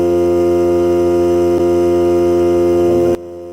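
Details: Hart cordless battery air compressor filling the tank: steady electric motor hum with even pump drone holding pitch, then cutting off cleanly; three minutes to fill, cut-out at 120 psi; normal run to cut-out.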